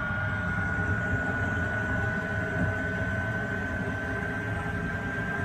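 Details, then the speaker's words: Workshop heater just ignited, on a battery charger for steady supply, garage at 18 °C: smooth blower rush, constant high whine, steady combustion roar with no pulsing or sputter; running normally. "it goes it's now running that'll now bring the temperature up in the workshop really really quickly"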